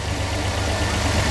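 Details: 1999 Dodge van after a spark plug tune-up: steady even low rumble with no stumbles or shakes, idling smoothly on all cylinders.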